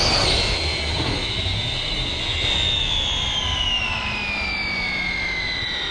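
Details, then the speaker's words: Redcat Kaiju EXT RC truck on 3S after speed run near 36-37 mph: loud high whine falling in pitch as it slows; pinion mesh set ultra tight, to be reset with paper gap. "but you could hear that that mesh got ultra tight so what i'm gonna do i should take a piece of paper and jam it in there"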